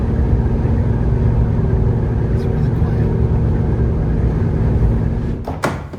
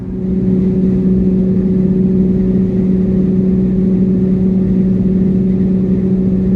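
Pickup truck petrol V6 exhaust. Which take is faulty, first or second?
second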